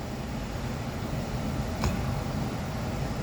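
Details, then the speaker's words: Thermo Pride Spirit Series 80% oil-fired furnace, blower running after the startup sequence; smooth, even low air rumble with no knocks or rattles; normal blower fan operation. "all right that's the operation of an oil fired furnace"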